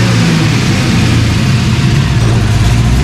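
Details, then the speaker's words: LS-swapped 1992 Dodge Dakota V8 after fitting a catch can, capping the throttle body and adjusting the idle screw, settling into a steady, deep idle rumble with no hunting, knocking or hiss. Owner believes it previously had a major vacuum leak. "I did make a little adjustment on the idle screw. I think it had a pretty major vacuum leak. It sounds good."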